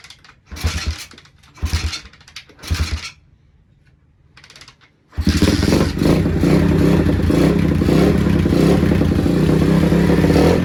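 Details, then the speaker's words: Pitbike with a 125cc single-cylinder engine swapped in place of the original 50cc, first start after the swap with fuel poured down the fuel line into the bowl: a few short cranking bursts, a pause, then it catches and settles into a steady, even run. "All the wiring's hooked up, motor's in, everything's ready to go. Now we're gonna fire it up."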